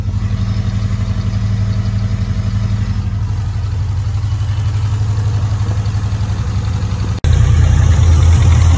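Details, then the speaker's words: Mitsubishi Evolution 4, possibly run on ethanol, started after sump removal, oil-leak fix and timing belt change; starts almost first time, with no leaks: even, steady idle pulses about four a second, no knocks or misses; normal idle. "I'm going to check the oil but otherwise she's idling amazingly uh you heard she starts like almost first time"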